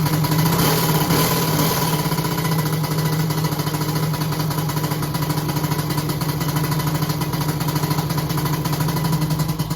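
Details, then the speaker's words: Three-cylinder 1100 engine, cheap starter fitted: low, labored churning about three to four beats per second that never catches, cranking much slower than others; owner suspects starter, plans swapping to original. "i've been listening to a few videos or watching a few videos on youtube and i can hear that these engines seem to spin over really really fast compared to this"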